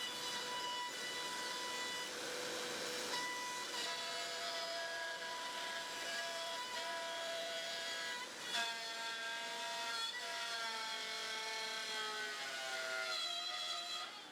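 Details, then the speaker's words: Small router used as CNC spindle cutting very hard salvaged wood; high whine repeatedly sags in pitch and recovers, cut too deep: motor bogging under heavy cut. "You could hear that really bogging down like crazy. So, this small router really is struggling quite a bit to get through this."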